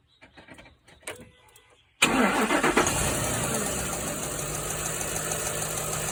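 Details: 2006 Ford F150 5.4L V8 starting and idling: light, uneven fast ticking from both sides, louder when hot, driver's side like a chain rubbing; passenger valve cover inspected, rockers and cam fine, new plugs and coil; source unknown.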